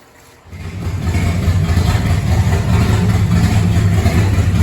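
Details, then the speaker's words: 1970 Chrysler Imperial, 440 big-block V8, parked since 1993, running with open exhaust after the restriction was removed: fires after half a second and settles into a loud, deep, even rumble, no misfire heard; runs normally. "Bet she sounds like a beast now. It's got a Chrysler 440 Big Block in it. I mean, it needs to breathe."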